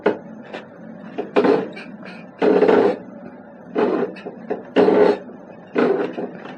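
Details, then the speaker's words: Suspension hinge on an electric vehicle rocked side to side while charging: slow, groaning creaks roughly once a second, frame stays pushed to either side instead of centering, battery tray leaning back; suspension hinge seizing up. "that's when i'm getting creaking and it's not centering i pull it off to this side it stays there if i push it it stays to the other side so that tells me it's seizing up"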